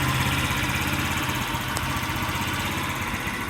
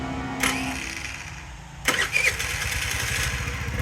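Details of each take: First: Scrap-yard Chinese scooter with a small engine, air cleaner off, idles with a fast but uneven, hunting putter; owner plans carburetor adjustment, cause not confirmed. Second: Chinese scooter from a scrap yard, with a low gel-cell battery: a brief crank, then the little engine catches and settles into a quick, even putter. It had no spark before, and now it starts and runs fine.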